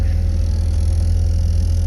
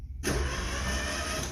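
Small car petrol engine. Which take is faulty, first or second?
first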